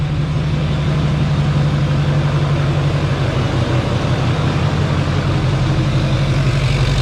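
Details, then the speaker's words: 2004 GMC Yukon XL 2500 with a 2006 LBZ Duramax diesel swap, first successful run after a fuse was sorted: heavy, even diesel idle with a steady low clatter and no stumbling; the engine is settled and running cleanly. "Oh, she's running. She's running."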